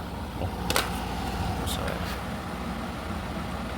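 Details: Hens portable air conditioner after its dirty condenser was cleaned, which had restricted heat rejection and caused poor cooling and cutting out. After faint clicks the compressor starts and hums steadily and smoothly, and cooling comes faster.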